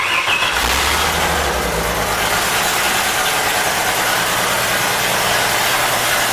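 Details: Ford 250ci inline-six gasser after new distributor, timing locked at 30 degrees, and freed accelerator pump check valves: starter spins briefly, then catches and settles into a smooth, even idle with no misfire or knock; normal idle.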